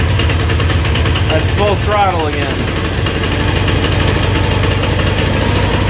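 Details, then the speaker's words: GY6 Chinese scooter engine, damaged by too much oil, on a new test spark plug, held at full throttle: uneven labouring, wandering beat, barely staying alive; dies immediately when throttle released. Owner says badly low compression, top-end rebuild needed. "and that's me letting off immediately dies this thing has low compression really bad"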